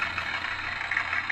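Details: Older Accucraft Goose #2 test run after broken drive gear replaced and motor shaft oiled with LaBelle 107: even, steady whir of motor and gears with light rapid ripple, no clicks or binding; running normally.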